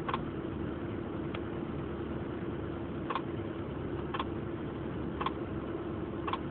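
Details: 1996 Honda Accord LX manual, light sharp click repeating about once a second over steady engine running; cause unknown, owner asking for help.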